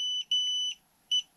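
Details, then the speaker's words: Xiaomi M365 electric scooter: two long high warning beeps signalling error 21, communication error with the battery management system (BMS). "error 21 so we hear it so two long beeps"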